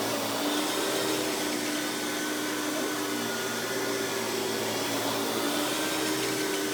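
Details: 1990s Hoover PowerMax Supreme 850 S3609 canister vacuum on high speed with power brush spinning: steady, even motor whine, no rattles or surging; runs very smooth, though not the quietest canister.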